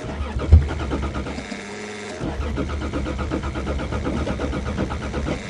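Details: Toyota, cold snowy December start after sitting, fuel pump on, battery terminal connection issue suspected; starter churns the engine in a steady rhythm, stalls briefly and cranks again, never catching: cranking no-start, cause not confirmed.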